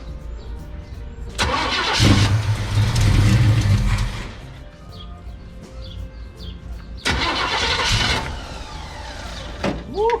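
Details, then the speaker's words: Chevelle sat in a Texas barn 15+ years, last caught fire, fuel hose unhooked from carburetor while cranking: two bursts of steady cranking about three and a half turns a second, never catching; fuel pump barely pumping, fuel starvation. "I unhooked the hose that goes to the carburetor and then just cranked it, and it's not really doing anything. It's like barely pumping out anything."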